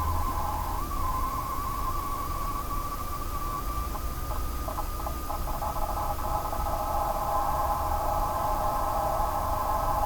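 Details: Corsair GS600 computer power supply emits a steady hooting whine around a thousand hertz over a low hum; the replacement unit did the same, then failed after about 3 months.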